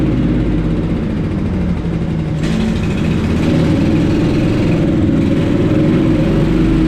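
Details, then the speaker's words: Honda-engine blower after its carburetor was removed and thoroughly cleaned: steady speed picking up slightly partway, smooth and even without hunting; the sound shows the carburetor is cleaned out, normal running. "You hear that sound, then you know you got your carburetor cleaned out."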